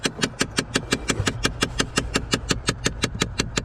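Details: 2012 Chevrolet Impala, key on: sharp even clicks about three a second behind the dash (glove box area) over quiet idle; failing recirculation door actuator confirmed as the noise source.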